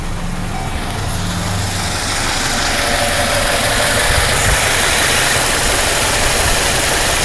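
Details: Chevrolet Cavalier at cold idle: fast light ticking about four per second heard right under the valve cover, especially loud when cold and gone once warm; cause unknown: valve train ticking.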